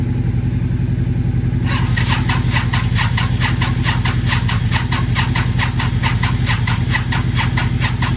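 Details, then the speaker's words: Yamaha XV 535 barn-find motorcycle, sat 10 years, fresh fuel, jump-started from another running bike: steady starter churning about three and a half beats a second, never catches; enough current, cranks but no start. "Motor dreht, möchte starten. Es kommt genug Strom zum Starten, aber sie springt nicht an."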